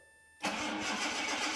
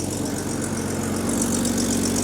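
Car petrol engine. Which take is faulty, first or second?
second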